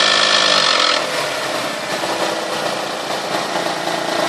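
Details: 1998 Toyota Sienna revving 2000–4000 rpm, otherwise runs great: bright raspy rattle at a steady fast beat over the engine, sounding stronger from the manifold and beneath; abnormal noise, source unconfirmed.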